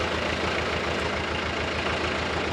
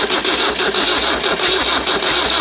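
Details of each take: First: Nissan SD22 2.2L 4-cylinder diesel (80s) swapped into an Oliver OC-3 crawler loader with half a 720 pickup transmission, freshly started and run without coolant: low, even diesel clatter at slow idle, steady firing, no misses or knocks; healthy. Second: Nissan SD22 2.2L 4-cylinder diesel in an Oliver OC-3 crawler loader, first crank after connecting starter button, glow plugs not yet used: quick, even starter churning, smoke but engine never fires; crank, no start.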